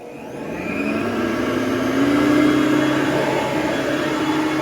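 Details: Hoover Platinum UH30010 upright vacuum after cord replacement and service, turned on and leaned back on carpet: motor spins up smoothly to a steady, even whir with a clean rising tone, no rattles or grinding; healthy.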